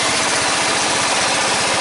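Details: 14.5 Briggs & Stratton single-cylinder lawn tractor idling after repair of a no-start: new fuel line fitted, primed and run with the air breather on; steady, even putter at constant speed with no stumbles or surging; normal idle, problem fixed.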